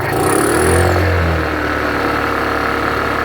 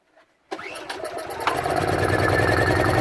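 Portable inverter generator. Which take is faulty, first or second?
second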